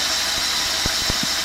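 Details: 1994 Mazda Proceed 4WD camper with a 2.6 L inline-four at 117,000 km, idling smoothly: a loud, steady high hiss comes from air rushing through the aftermarket-style air filter.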